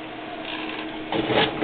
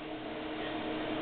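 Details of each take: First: IBM PowerServer 230 powered on, HP drive spinning up: low steady whir with a brief swell of clicks and rustle in a small room; normal hard drive spin-up. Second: IBM PowerServer 230 (RS/6000) external SCSI tape drive enclosure holding an 8mm tape drive; steady loud whooshing fan roar with faint hum, no rise or fall: enclosure cooling fan simply very loud.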